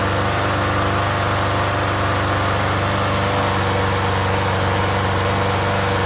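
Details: Free Yard Machines 21-inch self-propelled mower, primer-style engine about 10 years old, unused for over a year: steady even quick regular putter, no misses; healthy run after priming.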